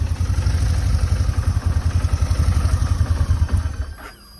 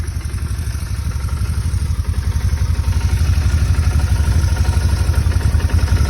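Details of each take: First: Motorcycle idling with steady thump, then switched off; a short thin squeak rises and fades as the engine spins down, a new shutdown noise not present before, source unknown, bike going to mechanic. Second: Motorcycle at idle; steady thump about four a second with faint buzz, fuel pump barely audible, no knocking or roughness: normal idle.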